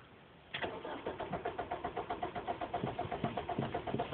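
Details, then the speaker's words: Car that sat parked since 8 a.m., normally starts instantly, cranked while giving gas: the starter turns it over at about four pulses a second but it never fires. An odd clicking from the rear was heard earlier. It eventually started. "I'm giving it gas. Nothing happens. It just won't turn over."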